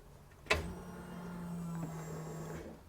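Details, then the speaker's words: Flood-damaged Chevrolet Corvair with new custom fuel injection and stainless PTFE braided fuel lines, before first start: a click, then a steady low electric hum for about two seconds before stopping; normal fuel pump prime. "heard a fuel pump Prime all right let's check and see if we have any leaks"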